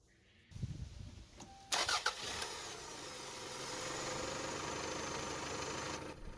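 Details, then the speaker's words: Toyota Camry after reassembly, previously cranking without starting: cranks briefly, catches and settles into a steady, even idle with no misses or knocks; starts right up, repair done. "After reinstalling everything, it starts right up, and we can now hit it with the done stamp."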